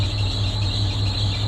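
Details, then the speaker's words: Jaguar F-Type at a salvage auction, idling with no AC: steady high-pitched squeal held over an even idle hum; slipping serpentine belt, slowly quieting as it runs. "That belt's quieting down. It doesn't sound like it, but it is. It's getting a little better."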